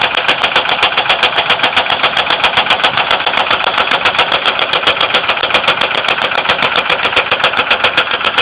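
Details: 2002 Ford Windstar 3.8L V6 idling with sharp steady tapping, about four clicks a second; oil level raised with light-brown milky-coffee oil, appeared overnight, coolant not notably low; knocking/clicking/tapping of unknown cause.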